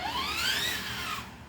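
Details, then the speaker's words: Traxxas TRX4 Bronco RC truck after greasing the portals, transmission and axles and reassembly. A short whine rises smoothly in pitch as it speeds up, with no clicking or grinding, and sounds way better. Normal drivetrain running. "all right well i ain't even running a second make sure it works oh that sounds way better"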